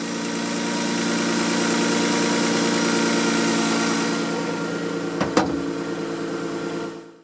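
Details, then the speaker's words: Car with 230,000 miles, just after fuel filter change, idle problem previously fixed by cleaning throttle body, IAC and mass airflow sensor: steady, smooth unchanging idle hum, no misses, stumbles or knocks; normal idle. "This is a great car, great engine, 230,000 miles on it. Runs like a top other than the problem I told you about."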